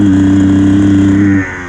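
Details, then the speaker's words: Enduro dirt bike 2.5 hours into a wet 4-hour race, throttle opened on back straight: flat steady drone that won't climb, then sags away; engine bogging, lost all power, wouldn't clear, eventually stopped and wouldn't restart on kick or electric start. "Just get on the throttle and... oh no, my bike's bogging, if you can hear that. Buh, buh, buh, buh, buh. What? It just won't go, it's just lost all power."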